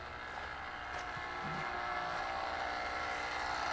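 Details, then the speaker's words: Home pump running outdoors in California while its app shows offline, on piping that has had multiple leaks this year; steady electric hum with a faint rough whir, owner says it doesn't sound great but works; noisy pump. "It might just take, it might take a few minutes, but right now the pump is running. It doesn't sound great."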